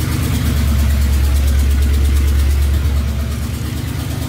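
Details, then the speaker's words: 1978 Dodge Power Wagon V8 after long tube headers, smaller starter and tuning; deep even burble, healthy smooth idle with no knocks or misses. "what we wanted yeah i think it's really good sounds good to me"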